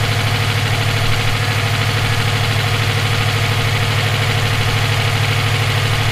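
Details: EJ257 at idle: a sharp, regular knock about three times a second rides on the low drone, present for about 17k miles since purchase; owner asks whether it is rod knock, a spun bearing or valve lash. Cause unknown.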